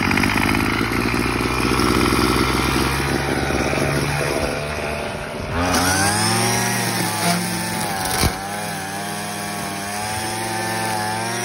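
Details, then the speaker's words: Craftsman WS210 weed eater after carburetor replacement that did not help; small engine buzzes roughly for a few seconds, then sags, wavers and fades out: engine dies after starting, cause unclear. "there she wrote and so now we get to crank it all over again"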